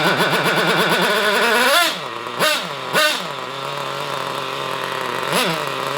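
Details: Hobao Hyper Cage nitro buggy, with a broken pull start, started with a glow starter: high buzzy whine sweeps up sharply on each blip, then drops to a thin idle. Sounds lean and screamy; cause suspected, not confirmed.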